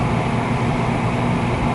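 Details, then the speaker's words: American Standard 90+ gas furnace on a no-heat call (exhaust fan ran but igniter didn't glow): after restarting, the igniter glows, loose wires were noted, and the burner is lit and running with a constant even roar, no flutter or relight clicks. "Yeah, you know what it is with my light, I really can't see in there good. It is running."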